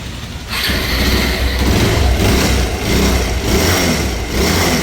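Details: Bajaj Pulsar 220F (BS4) after full engine rebuild for a seized engine with broken connecting rod and damaged head and bore: catches, settles to a steady low thump, blips rise and fall cleanly with no knocks or rattles; normal running.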